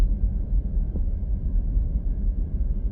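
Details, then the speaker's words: 2014 Honda CR-V on a low-speed test drive after the rear sway bar linkage was fixed: the rear bobbling noise is gone, leaving only an even road rumble with no knocks or rattles. The suspension is quiet, and the rear shocks were left in place. "show far so good got further than I did last time it's definitely low speeds"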